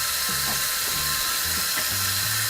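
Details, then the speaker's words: LED faucet light with hot water running: high steady whine over rushing water with faint intermittent chirps; light unit whining, cause unknown. "let's turn the hot water on and makes a little little whining noise you hear that kind of weird okay"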